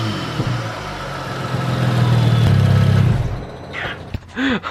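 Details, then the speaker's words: BMW F30 335i N55 turbo after BMS cone intake install: engine catches and revs cleanly with loud intake whoosh and turbo spool rising and falling; sounds healthy and more aggressive than before. "my gosh that sounds so much better oh my gosh it's crazy what one mod can actually do to your car"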